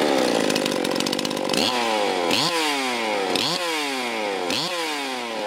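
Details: Stihl MS361 chainsaw after oiler replacement, run outdoors: sharp two-stroke buzz revved in repeated bursts, each rise and fall crisp and clean; saw pulls strongly and runs healthy.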